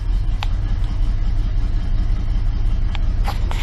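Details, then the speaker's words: Big-block V8 car, first start since purchase the day before after pumping the gas three times, cold: deep even burble settling into steady idle, no knocks or misses; wind noise outdoors; normal idle. "just blows me away this whole big block runs awesome"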